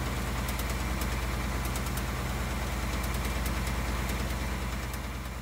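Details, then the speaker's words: 2018 Ford Mustang V8 (Coyote) at idle: light, irregular barbecue-igniter-like tick from the bottom of the engine, coming and going over a steady deep idle; intermittent engine tick, cause not confirmed. "it sounds like an igniter for a barbecue tick a clicking sound comes from the bottom of the engine"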